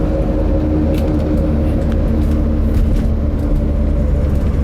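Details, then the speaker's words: 1981 Mercedes-Benz 300D W123, 3.0L five-cylinder non-turbo diesel, while driving. A steady low drone sits under the road noise and clatter. The owner suspects a front wheel bearing (unconfirmed); the tires also likely need balancing. "And I believe there may be a wheel bearing needed at some point. Kind of hear it up there."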